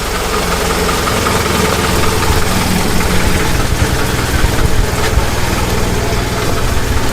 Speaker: Oh, she's happy.